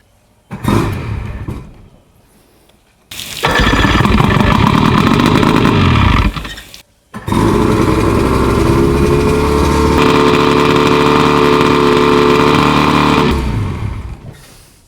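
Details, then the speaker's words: 50-year-old OMC 50 hp two-stroke outboard (right of twin pair), first start after 5+ years of storage, with new fuel lines and primer bulbs, in neutral. Short catches, then a steady, raised, even idle with the warm-up lever down. Normal fast idle. "That's with the warm-up lever down. She idles a bit up, but let's see if she actually pumps water."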